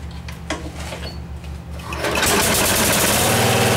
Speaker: little bit out of adjustment the carb still needs a little bit of fine-tuning but it seems to be doing pretty good